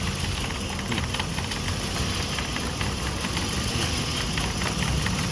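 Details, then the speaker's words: Petrol engine idling unevenly with lumpy stumbling beat and heavy shaking near stalling; swapping coils shows one ignition coil dead, no spark, 100% faulty. "จะสั่นมากเลยครับมันจะดับแล้วเนี่ยได้ยินเสียงไม่มีเสียงอะไรๆเงียบกริบระเบิดไม่มี"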